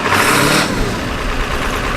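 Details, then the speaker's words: 7.3 Power Stroke Ford farm truck that sat for years, first start: the diesel runs rough and loud, then settles to a fairly even idle as throttle comes off. It has oil pressure but no charging system, and the serpentine belt is noisy. "Boy, she's alive. She's alive. Thank God."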